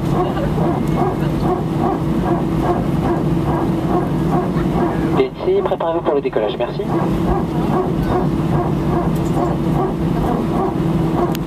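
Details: Air France A319, flight AF2487 Sofia to Paris, 15/01/2012, recorded from cabin seat 18F while taxiing before take-off: repetitive bark-like pulses, two or three a second, over steady cabin hum; strange barking noise, cause unknown.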